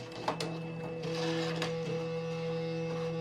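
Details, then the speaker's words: Epson SureColor P800 A2 printer, about a year of heavy use, powering up: steady motor whir with a few mechanical clicks and shifts. Normal but noisy startup. "And now when I turn it on, it's quite noisy."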